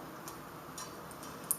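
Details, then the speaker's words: Rockler bearing ring turned by hand after its metal balls were replaced with Delrin acetal resin balls and the top ring was lubricated; soft, light, uneven ticking as the resin balls roll smoothly in the race, a good sound. "you can hear them ticking around. It's a good sound."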